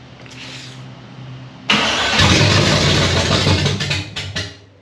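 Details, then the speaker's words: 1965 Chevy Nova wagon, 327 small-block V8 on first start attempt: starter whirs, engine catches with a rough burst, then sputters and dies within seconds; fuel starvation, as the fuel filter stays dry and the pump isn't picking up fuel. "we're still dry on the fuel fuel filter though so we're not picking up fuel"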